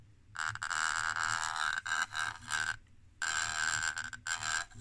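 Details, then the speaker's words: Brüel & Kjær 2625 pick-up pre-amplifier with bad selector switch, before cleaning: amplified tone drops out and cuts back abruptly several times with crackly ragged edges; dirty switch contacts, fixed by cleaning the switch. "Oh, look how unstable it is right now. Yeah. This is the problem. Always the switches, isn't it? Well, the thing is working at least, but this switch is bad."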